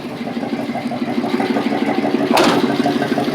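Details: Small-block Chevy V8 with headers, warm, after fitting a fuel pressure regulator to fix a flooding carburetor (plugs sooty, owner wary of running rich); steady, even lumpy idle with a light puffing tick; normal idle.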